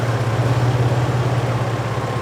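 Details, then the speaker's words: Toyota 4Runner after water pump work and flex plate replacement, fully warmed after about 5 minutes: a smooth, even idle with no rattle or knock. The earlier noise is gone. "well it's all warmed up still no noise looks like the water pump did it we are good to go"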